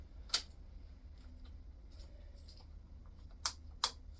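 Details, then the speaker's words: BMW F650GS Dakar on its first start attempt after a budget restoration, battery connected with jump leads: the engine stays silent and only a few sharp, irregular relay-type clicks follow turning the key, an ignition fault of unconfirmed cause. "Okay, so we've got a lot of clicking and a lot of faffing. Okay, something's not quite happy here, so let's go back to the beginning."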